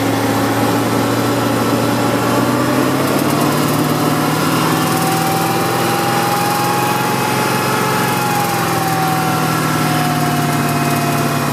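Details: BMW M60 V8 idling steadily with a sharp, fast ticking from low down under the engine.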